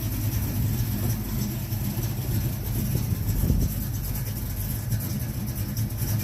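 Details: 1970 Mach 1 clone V8 after a Holley 600 carburetor gasket rebuild, idling with a deep, even steady beat, no misses or carburetor hiccups; runs fine.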